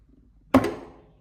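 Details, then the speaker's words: John Deere riding mower PTO blade clutch engaging after PTO switch replacement and rewiring: one sharp clunk from under the deck, then quiet; the clutch engages and disengages normally. "I'm gonna engage the PTO. It's probably gonna be hard to hear, but we should hear the PTO kick in down here on the"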